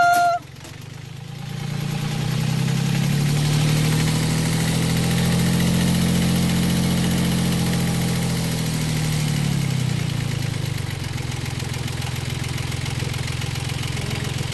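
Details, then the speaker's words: Yanmar 3GM diesel in a Hunter 35.5 sailboat, after throttle cable replacement (old cable sheared at the pedestal): steady, low diesel throb holding just under 800 rpm without hunting or surging; normal, settled idle. "What's that? That's under 800. Just under 800? Yep. Yeah. And it's not moving. It's good."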